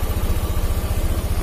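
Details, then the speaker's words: Honda Beat FI single-cylinder scooter idling with the battery (aki) disconnected while fuel pump pressure is checked on a gauge; pressure reads normal. Earlier symptom was unstable hunting idle and stalling on throttle, traced to a battery that was shorting or cutting in and out. "Untuk motornya kita nyalakan. Oke, kita lihat tekanan. Oke, tekanan segini ya, normal."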